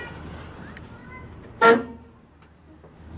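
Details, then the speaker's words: 1986 Chevy K30 truck horn: one short, thin, reedy single-tone honk like an old Model T; only the original rusted horn works, the second grille-mounted horn does not, electrical cause to be diagnosed. "it don't work. You know, it kind of sounds like an old Model T Ford, you know, something from the 20s."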